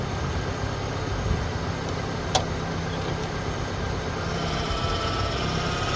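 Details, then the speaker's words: 1989 Ford Ranger after power steering pressure hose replacement, wheel turned at idle: even idle with no groan or rising pump whine, unlike the groaning and whining before the repair; steering sounds healthy. "start the truck, and rotate the steering wheel. And then when we're done, we'll make sure we have no bubbles, and then make sure it's not groaning and whining like it was the other day."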